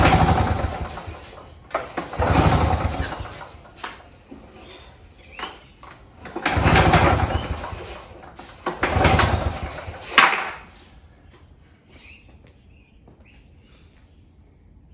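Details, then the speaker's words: Curbside Victa Turbo Disc two-stroke mower with a repaired pull start, fuel tap on, primed three times. Three rasping pull-cord bursts, each fading with no firing or splutter; it turns over but won't start, spark to be checked next. "so I've given a few pulls and it didn't even give us a splatter so let's go back to basics"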